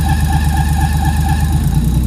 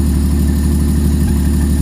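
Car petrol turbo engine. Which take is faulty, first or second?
first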